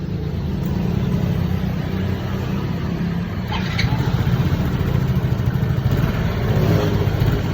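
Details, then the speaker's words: Yamaha Mio J scooter that often stalls, ISC previously repaired; idle drone swells and sags unevenly on its own instead of holding steady, unstable hunting idle, with an air leak in the lower intake hose upsetting the mixture. "Nah, sempat beberapa waktu itu diperbaiki ISC-nya buat, tapi lamsannya itu turun naik sendiri, bukan tidak berlangsang ataupun bukan besar ya, tapi lamsannya tidak stabil."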